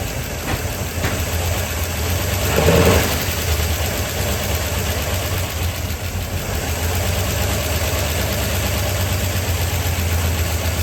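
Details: Small block in 1972 Chevy C10 after starter swap, distributor timing not set exactly: lumpy idle with irregular beat and brief early flare, keeps running; owner suspects timing; rough idle.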